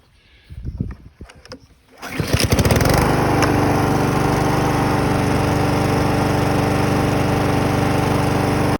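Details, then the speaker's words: Honda lawn mower with auto choke, unused for three years and running rough, after fitting a new $20 Amazon carburetor: after a couple of pulls it catches and settles into a steady, even run with no surging or stumbling. "going to start the mower now after putting in that new $20 carburetor from Amazon"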